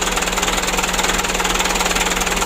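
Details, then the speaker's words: Mitsubishi Canter diesel after injection pump plunger replacement, nearly set: steady idle clatter with a faint rhythmic pulsing, engine still shaking slightly while pump adjustment is finished. Slightly uneven idle. "nah ini Tinggal sedikit lagi ya nanti kita setel masih ada goyang sedikit"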